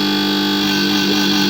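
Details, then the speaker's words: Gas compressor (motor fitted inside an SMD soldering station body), running before repair after a loose part was found: loud, harsh steady hum with low drone and hiss; pressure fine but excessive noise. "Pressure तो सही है लेकिन इसमें शोर काफ़ी ज़्यादा है। ये देखें, इसमें शोर काफ़ी ज़्यादा है।"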